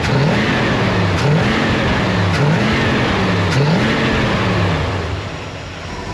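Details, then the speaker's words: Dad's Chevelle, near-stock Vortec small-block Chevy with small cam, old gas burning out, after carb power valve change to 10.5 vacuum (wanted 9.5): four quick throttle blips rising cleanly and returning to steady idle without stumbling; sounds much better, possibly overdone. "Well, that sounds way better, but I think I might have went a little bit too much."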